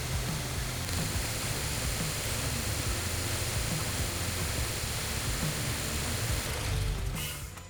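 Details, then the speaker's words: 2012 Subaru Forester after power steering hardline replacement, system bled lock to lock: steady even engine hum with no whine or groan from the pump; power steering operating normally. "and so now our systems all bled I went back lock to lock a couple of times"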